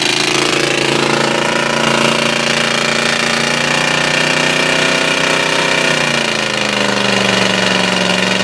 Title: How much abuse can a 351W with a spun bearing take ? ALOT BUILT FORD TOUGH